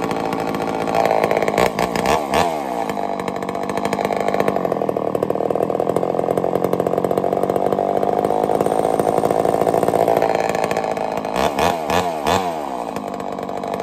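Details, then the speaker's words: Homelite Super XL-923 82cc chainsaw, first test fire after tuning: a little rich on the low speed; it blips and revs to a loud, snappy high-speed scream and comes back down cleanly; runs well. "She tuned right up pretty easy. Got a little rich on the low speed, but I'm very surprised. She's loud though. Holy cow, she loud."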